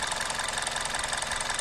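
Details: 2004 Toyota Corolla E120 1.6 petrol 3ZZ-FE at idle: uneven, slightly stumbling beat under a hissy top end, engine vibrating and rpm dropping; OBD shows no misfire; vacuum check, throttle body and MAF cleaning, coil unplugging didn't find the cause.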